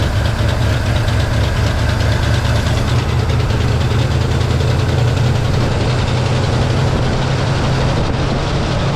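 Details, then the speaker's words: 1963 Pontiac Catalina 389 hardtop, not run in 12 years, first runs on a cold day: low, uneven rumble with irregular lumpy pulses; rough running from carburetor flooding, found to be a stuck needle and seat and a vented fuel line. "We have a vented fuel line and a stuck needle and seat."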